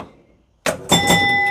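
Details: Gottlieb Ice Show pinball after adjusting score reel 9 carryover switch (bent cam had held switches closed); quiet, then clack and clear ringing chime as the score reel steps: scoring works properly.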